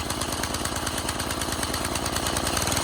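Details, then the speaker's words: 1987 Craftsman tiller warming up just after its first cold start. The single putts about three times a second, slightly lumpy, with black smoke. Running rich; owner believes the jet that came in the replacement carburetor is too big. "Yeah, it's definitely rich, as you can see on camera, but it's got some black smoke coming out of it, so it's definitely rich."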